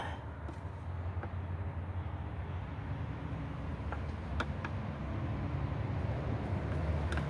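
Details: Riccar Supralite upright vacuum after repair with a new, noticeably wider belt fitted: low, even motor hum, brush roll spinning smoothly and freely with only a few light ticks; running normally.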